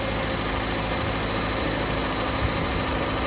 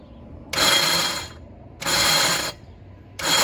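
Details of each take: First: 2007 Jeep Compass 2.4L after starter replacement: starts, then smooth, even idle hum with no knocks, ticks or misses; loud cranking fixed, engine healthy. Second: 2007 Jeep Compass 2.4L, cranking before starter replacement: four harsh grinding bursts, each under a second, as key is cycled; starter not engaging cleanly and failing, replaced with Duralast 19442.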